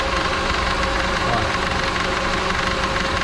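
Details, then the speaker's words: Honda HR-V (CNG-equipped) idling: busy, uneven chatter with rough rattling about twice a second from the belt tensioner arm visibly vibrating; tensioner noise, replacement planned. "e carro tá fazendo de tensionador para que vocês quando escutar esse barulho já vai ficar ligado aí qual o probleminha"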